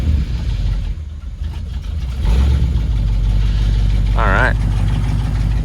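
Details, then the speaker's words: 1968 Cadillac DeVille V8 just after an oil change, cold start with the choke turned off: low, uneven, loping idle that smooths once warm. Rough cold idle; owner says the carburetor needs adjusting. "there she is there she is a little rough to begin with once she warms up she's good"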